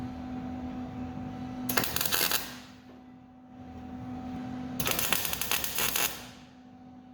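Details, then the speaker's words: 1967 Pontiac GTO trunk pan modification, MIG tack welds over weld-through primer: two short bursts of crackling, sputtering pops, each about half a second, from the primer; primer to be ground off after finish welding. "weld through primer, you can hear it popping. When I finish weld this, I'll go ahead and grind that primer off."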